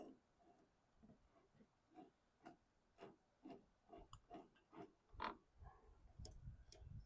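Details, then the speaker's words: 2008 Toro Recycler 20065 front-wheel-drive mower during wheel bearing replacement: soft clicks around two a second as the wheel rolls back, the ratchet catching when the transmission engages; normal freewheel action. "So it allows the machine to roll backwards, but when it's in gear, it'll catch and pull it forward. It can turn backwards at any time, but then when the transmission's engaged, it catches."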